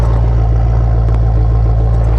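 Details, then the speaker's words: High-mileage Maserati Quattroporte GTS on its first drive after restoration work: deep, steady exhaust rumble with no misses, rattles or leaks. Healthy exhaust note. "Time for the first drive. Listen to that exhaust."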